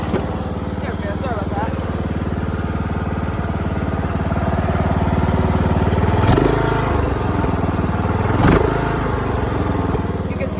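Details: $50 John Deere mower after its blown motor was replaced, revved twice with headlights on to check charging: steady, even single-cylinder beat rising smoothly and settling cleanly; lights brightened, so it's charging; healthy.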